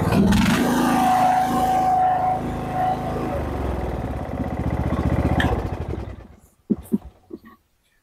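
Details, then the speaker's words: Husqvarna riding mower single-cylinder engine, after a new coil and spark plug and a choke fix, following backfiring and flames from the carb: it runs smooth and even, then shuts down cleanly. Intermittent spark was the suspected cause. "now it seems to be a pretty good running engine so except for fixing the choke on the carburetor I didn't touch the carburetor"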